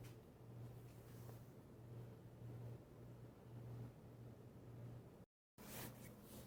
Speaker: I don't even hear any bearing noise in one slight bit. Frankly, I don't hear it with the blades on, but I might consider replacing the bearings.